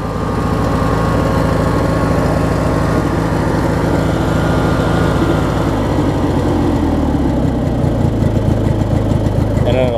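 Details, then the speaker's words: Craftsman opposed-twin riding mower after new ignition switch and battery strap: steady even twin-cylinder burble that idles down smoothly to a relaxed low idle without stumbling; starts right up and runs healthy. "it'll idle down pretty good too."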